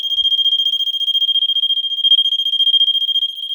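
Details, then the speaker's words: Vulcan MK V1B Autosonic photoelectric smoke detector from 1986, slightly dusty inside, given tester smoke spray: a loud, piercing beep pulsing about three and a half times a second, steady. It tripped much quicker than with the test button. "wow okay Works quicker with the uh the spray much quicker actually now I don't know if I have to manually turn it off"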